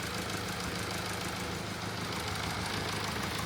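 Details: Mercedes E-Class OM654 diesel, which had knocked from a shredded V-belt slapping around the engine bay, after a new V-belt was fitted: steady idle with even clatter and no knock or slap; sounds healthy.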